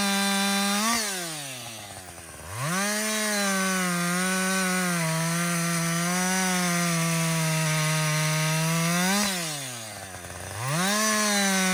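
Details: Husqvarna 562XP 60cc chainsaw, after a dealer reflash of its software for dying when hot and stumbling, bucking windfall: high steady scream sags briefly twice as the chain bites, recovers cleanly; normal under load.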